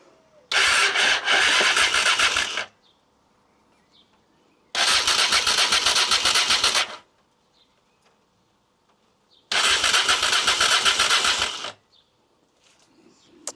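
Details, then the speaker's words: Rebuilt Honda Africa Twin, first start attempt after restoration: starter cranks with run switch off to circulate oil and coolant, three clean even cranking bursts about four chugs per second; oil pressure light on, no neutral light; normal starter cranking. "Okay, starter works."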